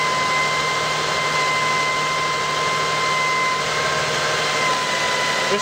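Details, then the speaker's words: 2005 Lexus ES330 3.3 L V6 at startup, battery light had come on: steady high whine over the running engine without wavering; worn alternator bearing, alternator to be replaced. "I will give you all a start up and you can hear the noise as you can tell that's pretty long pretty annoying"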